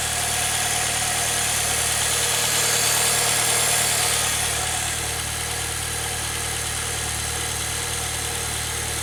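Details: 2006 Saab 9-3 just after an oil change, idling on ramps with no oil pressure light and the low-beam warning cleared: a steady, even idle with a constant hum and no knocks or ticks; normal idle.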